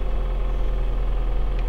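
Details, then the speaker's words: 2007 Toyota Avensis 2.0 petrol automatic, 226,000 km, cold engine after replacing the timing-side engine mount: low, steady, even hum with no thumps, shudder or previous roar; normal idle, expected to get softer when warm. "Да двигатель холодный но того рёва который был нету там было аж гу даже на холодную передачу если включить нету ничего"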